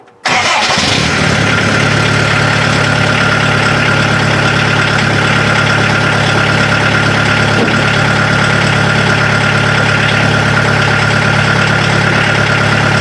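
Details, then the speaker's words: Mazda B1800 / Ford Courier pickup with swapped VW diesel, cold start after 10-second glow plug wait, before first test drive; quick catch, then steady, even clattery idle; diesel starts cold without trouble. "key to the on position 10 seconds for the glow plugs"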